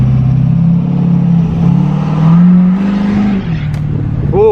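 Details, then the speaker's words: Diesel truck after being accidentally filled with gasoline, both filters filled with good fuel, revved at a light on a test drive: strong, smooth engine note with turbo whoosh, no misses or knocks; running great. Normal revving. "I'm gonna give you all a little Rev real quick while we're at this light"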